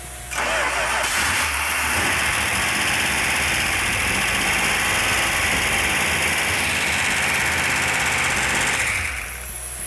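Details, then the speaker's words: 1971 Dodge Demon 340 V8 Six Pack 4-speed after rotating the distributor to retard over-advanced timing: catches within a second, steady even run with light valve-train clatter, described as normal; runs good, though an oil leak appears, assumed to come from the oil filter adapter. "so all we do is rotate the distributor to hinder the timing valve trains a little noisy which is normal"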